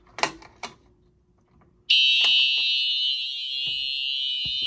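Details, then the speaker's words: Simplex 4004 panel fire alarm system with Simplex TrueAlert 4903-9425 horn/strobes, coded to continuous, heard from outside the building: sudden loud piercing high horn starting and holding without a break; system in continuous alarm. "Wow, listen to that thing. Wow, that is one loud alarm."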